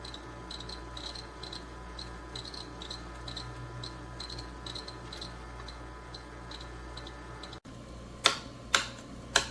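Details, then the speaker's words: GE Profile Opal 2.0 countertop nugget ice maker running: soft high chirps about twice a second over a faint hum, then a few sharp knocks; the owner says this chirping is normal and heard all the time. "This is a normal sound I hear, chirping all the time."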